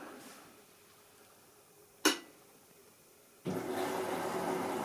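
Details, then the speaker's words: Waltham washing machine after the door-safety harness pin was tightened for good contact with the control board, on a 40° program: a click, a brief quiet, then a steady hum and water rush. It starts normally. "Ah, ça fait plaisir. On entend démarrer. Bon, on va laisser tourner."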